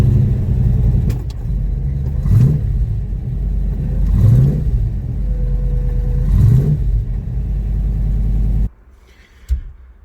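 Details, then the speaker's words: Ford Capri with a freshly rebuilt V8 and redesigned clutch slave, first drive: a deep, even V8 burble rises smoothly with three throttle blips and returns cleanly, no knocks or rattles; coolant okay, oil pressure excellent and temperature steady. "it runs okay it goes well the coolant seems to be okay the oil pressures excellent even the operating temperature it's not dropping off and it sounded alright"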